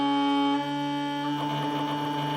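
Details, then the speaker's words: Stepper motor humming steadily near 290 Hz turns rough and buzzy partway through: a mid-speed resonance around "three and a half" that it may fail to get past; fine at low speed. "peux ne pas arriver à passer ce cap où il ya cette fameuse cette fameuse résonance quand je suis trois et demi"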